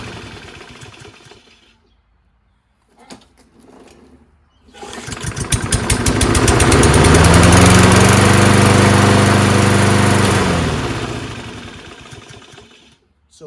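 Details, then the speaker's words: Toro 22-inch Recycler Kohler mower, new HIPA carb, after grinding rust off the flywheel so the brake pad makes ground contact; fires, climbs to a smooth steady run, then winds down and stops on its own. Normal run and shutdown. "it just needs a contact to ground to kill that's it so all that stuff that was around the flywheel was not making a good ground contact"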